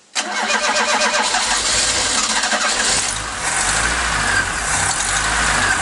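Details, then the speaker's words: Mk3 Ford Cortina Estate carburetted engine; the fuel filter has fuel and nothing is leaking. The starter whirrs, the engine catches, runs unevenly, and the revs sag and waver before it dies again. It had earlier run fine for a while. "just dies again this is a confusing one because it was fine for a little while"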